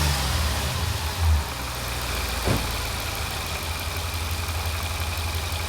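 Steady, even V8 idle with a faint whir from the belt drive and no squeal or chirp; pulleys and tensioner sound healthy.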